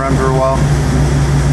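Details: 1988 Lamborghini Countach replica after fixing a fuel starvation no-start (suspected air leak at fuel pump): steady low idle hum with the rushing whoosh of the radiator fan kicking on; engine and fan sound normal.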